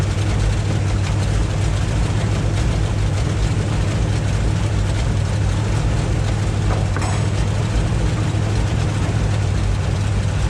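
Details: 1958 Chevy Biscayne first running after years of neglect: low, muffled, lumpy idle with occasional stumbles; runs rough, owner plans to check firing order and carburetor, cause unconfirmed.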